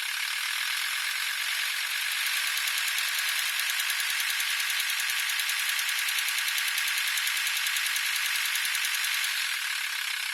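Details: VW T4 2.5 TDI (AXL engine) at 1050–1100 RPM, the only speed it occurs: light tinny metallic rattle at about three per second at the serpentine belt area; rattle, probably the belt tensioner pulley.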